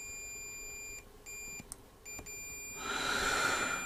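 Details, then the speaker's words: Multimeter probing board pins. Steady beep in short spells shows two pins connected to the primary (mains) side of the transformer: 230 V primary, two 12 V 200 mA secondaries. "okay that was definitely connected to there you can't see what I'm doing can you okay so those two pins are connected to the um the HT side or the the main side of the Transformer"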